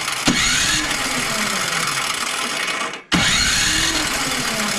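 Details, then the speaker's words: MTD Pro 21-inch electric-start snowblower, new carburetor fitted after a fuel leak: two long starter pulls turn the engine briskly but it never fires; only a faint weak spark, no wiring fault, so the ignition coil is bad. "we get no change whatsoever from the spark on this unit there's no wiring or anything grounded out anywhere or anything like that"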